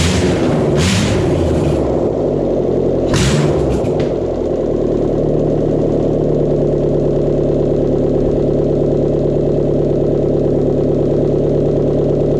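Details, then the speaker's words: 2009 Subaru Outback SOHC 2.5, 109,202 miles, first start after timing belt, idlers, tensioner and water pump replacement, no muffler, no coolant; brief crank, catches right away into loud steady open-exhaust idle, no ticking; normal start. "Okay, I'm going to go ahead and start it up. I don't have any muffler on it. No water in it. There's oil. Put the battery back in temporarily. Start it up, see if it runs."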